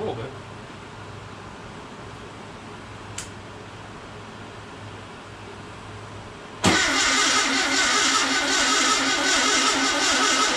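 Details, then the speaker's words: First fire-up of a fresh VW 1679cc single-port engine, Scat C25 cam, dual Empi ITC carbs, oil pressure prebuilt, timing spot on: catches cleanly and runs steady with no knocks or misses; healthy start for cam break-in. "Got timing spot on for the first fire up. Man, that was awesome."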